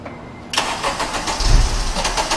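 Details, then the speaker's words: Car cranks with starter spinning the engine at an even steady chug for two seconds but never catches; cranks fine, won't fire. "i don't know if you guys can hear that but you know you know it dies yeah it will not start"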